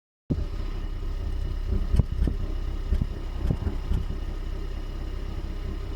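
Uneven low rumble at idle, broken by irregular heavy thumps every half second or so, pointing to a misfire and shake.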